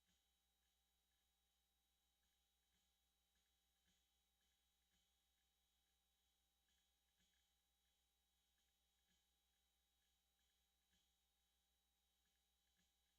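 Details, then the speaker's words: Hard drive spinning at a constant speed, noise filter off; faint clunks about twice a second over the spin hum, the classic dying-drive clunking, though a drive mounted upside down or mis-jumpered not yet ruled out. "I basically hear the universal sound of your hard drive is dying it's um clunky clunking"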